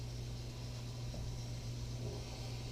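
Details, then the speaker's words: Englander 25-PFS pellet stove, new combustion air blower after cleaning, at lowest heat range: low, steady hum with an even airy rush, no rattles or scraping; blower runs smooth and so quiet it is hard to hear. "it's actually turning the combusted fanboys just so quiet damn hard to hear it"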